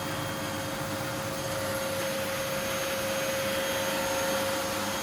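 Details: Miele W1613 Novotronic washing machine, about 17–18 years old, running with its top off after an F63 error repair: a steady, even, fairly quiet spin whir with a constant mid tone and no knocking or scraping, sounding healthy.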